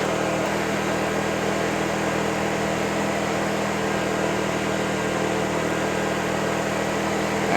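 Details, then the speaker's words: Champion 2500 W inverter generator after break-in, running at full speed: steady, even hum with no hunting, measured at 57 dB versus 53 dB ambient; running smoothly. "so on full speed i'm getting 57 decibels [Music] but it's not loud"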